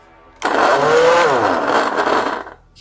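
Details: Arzum hair dryer runs with a loud, rough, chugging roar from the motor. Long continuous use on the hot setting makes the rotor expand with heat and rub inside the motor.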